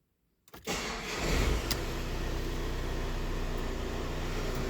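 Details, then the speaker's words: VW Crafter diesel with an intermittent long-crank complaint: short crank of about 2.7 seconds, within the 2–3 second average for this vehicle, then catches cleanly into an even, steady idle; normal start. "it started somewhere around there see 2.7 seconds so I'm going to say 2 seconds is about an average crank for it"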